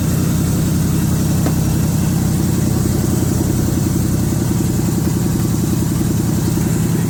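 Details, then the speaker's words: 1978 Chevrolet K20 V8 first start after sitting for years, carburetor suspected junk: strong steady low drone at raised speed, no misfires; runs evenly but idles too fast. "I actually ran really good too there was no misfiring idle is way up there"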